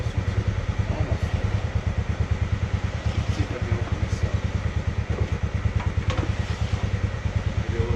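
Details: Polaris Sportsman 600 ATV engine: uneven chuffing about three beats a second, weak and stumbling as it tries to catch and run; hard starting from low compression, only 120 psi in one cylinder.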